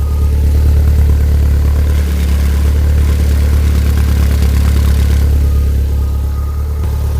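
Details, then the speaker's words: Skoda 120 with 1.8 16v engine, running again after gear linkage repair, fresh fuel, some black smoke and oil burn-off, perished coolant hose leaking: steady, even low idle, smooth rumble, no knocks or stumbles. "Now that's running really nice."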